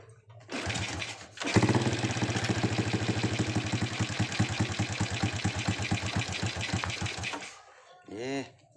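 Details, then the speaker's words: Honda Supra X125 after a part was disassembled, its lock refitted, its gasket glued, and reinstalled: starts and settles into a quick, even putter with no clatter, idle smooth and back to normal, with the earlier ticking gone. "dulu oke ya suaranya itu jadi halus lagi sudah normal"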